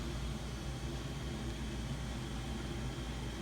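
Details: Home heating system noise heard in the basement and bedroom: steady low drone with a faint tonal hum held evenly throughout; abnormal heating system noise, source not yet pinned down.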